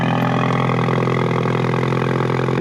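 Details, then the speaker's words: 2020 Ford Mustang EcoBoost HPP with rebuilt MAPerformance Stage 1 forged short block and Ford Performance cams, past 500 miles; loud, deep, even cold-start idle, more aggressive, likely from extra exhaust cam lift; no knock or tick. "so I got to tell you the cold starts definitely sound more oh hey I didn't why did I goof up there it goes more aggressive more"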